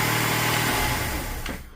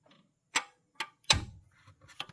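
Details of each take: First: Engine's first start after a VVT camshaft phaser timing repair, with oil pressure drained from the long job. It idles smooth and even with no rattle or tapping before winding down: normal idle. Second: It's mushroomed. It's mushroomed. That's why it's not letting that pin fall into place.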